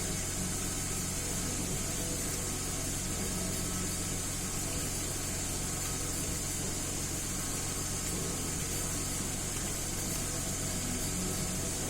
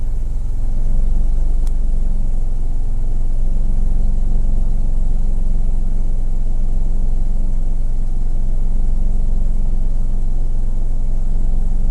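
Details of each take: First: 2010 Mercedes GLK 350 3.5 V6 after swapping and cleaning the exhaust cam timing solenoid (previous P0017 and misfires on cylinders 1–3): steady, even idle with no stumble; all six cylinders firing cleanly, no misfires. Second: 2010 Mercedes GLK 350 V6 at idle, lumpy and uneven with a deep low throb; live counter shows many misfires on cylinders 1, 2 and 3, bank 1 only, with code P0017 exhaust cam retarded; owner suspects a stuck or gummed cam timing solenoid.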